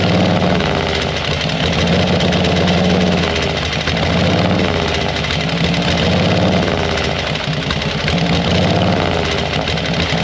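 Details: 1940 Harley-Davidson UL 74" flathead V-twin after oil feed pump rebuild: lumpy, uneven idle with loose mechanical clatter, steady and holding speed, sounds healthy for its age; oil light still on at idle.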